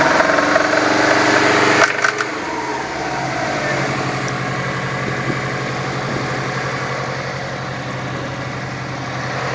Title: SUBARU RB5 ENGINE KNOCK